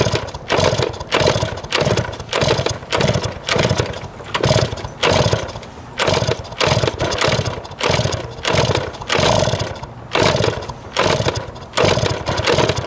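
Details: 1971 Yamaha JT1 mini enduro two-stroke, stored about 30 years, with spark, fuel and 133 psi compression confirmed: rhythmic choked popping about twice a second that never clears, because the exhaust was clogged with mouse droppings or poison.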